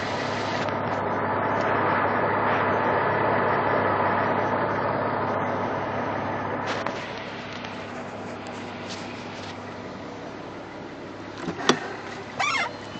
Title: Lifter Tick?